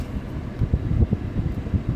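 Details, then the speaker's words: Fiat Doblò HVAC blower after repair of an inoperative blower, stepped up through speeds one to three: steady rushing airflow with an even hum, no rattles or squeals; blower operating normally. "so i'm going to go now speed 2. speed three beautiful"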